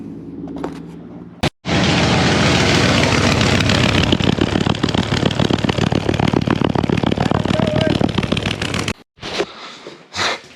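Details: VN SS with poor exhaust welds, idling: a loud, raspy, pulsing chuff like gas escaping; the exhaust leak is traced to a large hole in the exhaust.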